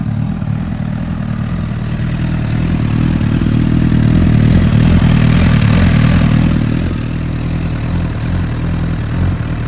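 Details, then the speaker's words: 2008-2009 Honda CBR1000RR inline-four idling: loud, steady mechanical clatter and light valve tapping, normal engine racket; cam chain and valves good, no crank whine that disappears when the clutch is pulled. "That's normal engine racket. These are very loud. The cam chain's good, the valves are good on this bike."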